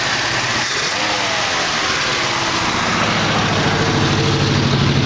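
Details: 1968 AMX, 401 V8 replacing 360 Go Pack, first start after carb work: lumpy uneven idle with fast light tick about three per second; later found a lifter worn so badly it had a hole in the bottom.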